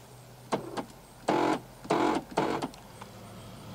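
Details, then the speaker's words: 2013 Volkswagen Jetta; short, harsh, uneven buzzing whirrs each time the locks cycle, apparently from the right rear door; an OBD scan confirmed a bad door lock actuator; locks also cycle by themselves in wet, cool weather. "I already know it has a bad door lock and I'll show you and I scanned it with my new obd 11 and it told me exactly what I thought"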